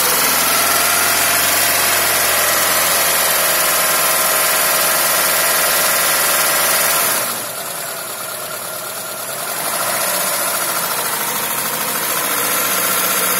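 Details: Engine knock at idle (original caption in Russian, "engine knock, Sens"): steady idle with a regular light tapping about three times per second, holding even throughout. Source undetermined.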